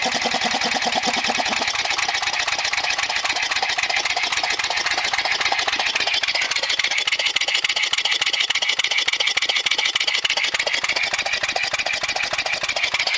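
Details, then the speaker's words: Regular lawnmower engine converted to run on compressed air, camshaft modified to eliminate compression. Fast, even, crisp ticking at a steady pace without misses or knocks. Running normally. "all I had to do is modify the cam shaft so that it eliminates compression otherwise it would just stall so and this is just regular old lawnmower engine"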